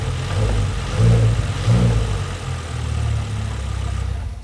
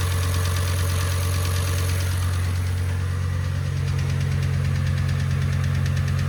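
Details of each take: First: Audi RS6 V10 after tune and upgraded high-pressure fuel pumps, revving in place: revs climb and fall cleanly with only light, even injector tick; earlier top-end tapping, blamed on a hydraulic cam follower, no longer heard. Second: Audi RS6 V10 at idle, earlier footage from first engine start: steady low drone with fast, even light ticking from the cylinder head, traced to a FEBI hydraulic lifter (cam follower) believed faulty; warranty declined.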